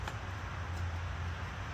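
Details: Whirlpool microwave that wasn't heating and arced from a shorting magnetron, after repair; steady low unbroken hum with no crackle or arcing, heating water to about 150, working normally.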